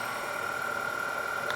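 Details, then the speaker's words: Denso 120A alternator with external regulator, off a Grand Cherokee, bench-tested at about 3,000 rpm into a drained battery with the excitation raised: a steady, clean high whine with no rattles or grinding, charging about 10 A, healthy. "as soon as I crank the excitation up we can hear this up we can hear the sound is changing of the alternator"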